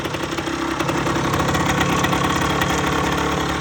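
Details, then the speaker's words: 2008 Rieju RS50 Matrix two-stroke, 6,800 km, after top-end rebuild, heat-cycled, weak battery, carb tuning pending: fairly even buzzy idle without misses or knocks; normal idle. "So quick update on the bike. Put everything back together and it's running."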